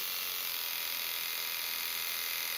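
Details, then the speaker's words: Philips i9000 Prestige electric razor running with the pop-up clipper raised: steady high-pitched buzz that stops when the clipper is closed; owner suspects clipper vibration, not confirmed. "You You can see a blue light. You can And you can hear it buzzing. You close that back up and in there's no buzzing. I think it's buzzing because of the uh vibrations of the uh little clipper bit there."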